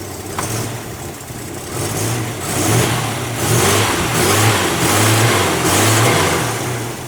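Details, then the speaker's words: 1987 Buick Regal Turbo T, not driven in years, just after its first start: the engine hunts and surges, revs rising and sagging about every second; rough idle, with cracked parts found underhood. "don't sound the greatest but it does run"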